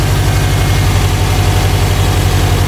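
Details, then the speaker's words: 2007 Subaru WRX STI, cold and warming up, after fixing a pre-turbo leak with a new Perrin up-pipe, 2018 STI VF48 turbo, Invidia catless downpipe and Q300 exhaust: smooth steady idle; the earlier airy puffing from the turbo is gone. "slowly but surely obviously the car is warming up gotta get to operate in temp then the fans will kick on that'll also start helping but man you could already tell right away this thing's not leaking anymore"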